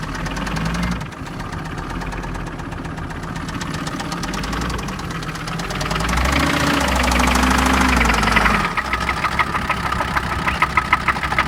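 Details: OM662 diesel at idle: sharp, regular knock about three times a second; engine knock, cause needs more testing.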